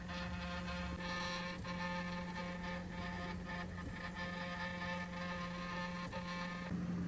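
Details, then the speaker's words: Original Prusa MK4 3D printer printing its first layer with a loud, steady motor whine that shifts pitch with each move. It is recorded before the fix, after which it runs smooth. "all right guys I will show you how to did I fix my noisy first layer as you can hear it's pretty loud"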